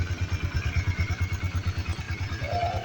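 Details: Honda CB150R with a starter that won't work, running in neutral after the dynamo checked normal with no short; single-cylinder thumping at a steady fast idle, even and healthy.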